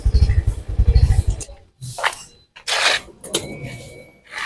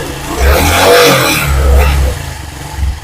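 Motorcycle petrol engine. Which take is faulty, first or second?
second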